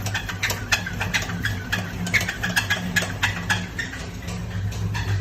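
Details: LS3-swapped Trailblazer SS with hot cam swap: light, uneven tick about three or four times a second over low idle; owner suspects a spun rod bearing after the engine hit the rev limiter and shifted hard 1-2, cause unconfirmed.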